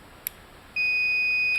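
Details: GE microwave that ran with its door open, door microswitch tested with a continuity meter: sharp click, then a steady high-pitched beep held while the switch is closed. The switch tests fine; a loose connection is suspected.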